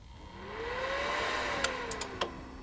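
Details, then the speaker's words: Enermax Revolution SFX 550W power supply at system idle, open-air build. Every few seconds the fan whines, rising as it spins up and falling back to zero RPM, before the fan was replaced with a Thermalright TL-8015W 80 mm slim fan. "Every few seconds there's a cycling whining noise, which is a sound of the fan spinning up and then slowing back down again to zero RPM. Then this cycle just repeats."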